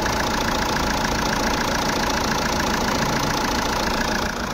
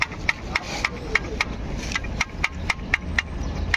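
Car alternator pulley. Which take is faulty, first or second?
second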